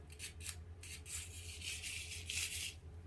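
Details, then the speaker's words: DTX 18 nitro RC engine being installed, old pull starter: quiet uneven metallic rasping scrape with each cord pull, sounds like hanging on something metallic; one-way bearing feels gummy; old starter suspected, not confirmed. "on sounds like it's hanging on something that's like actually metallic may just be that old starter physically it's smooth as pretty smooth"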